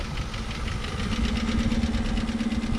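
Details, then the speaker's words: 1965 Plymouth Fury II wagon first running in 45+ years, carburetor only cleaned and leaking fuel, smoking at idle with a light regular tick keeping time with the engine; suspected valvetrain, source unconfirmed. "Okay, so it's starting to smoke a little less. There's a little bit of a tick, which I don't like. Hopefully that clears up."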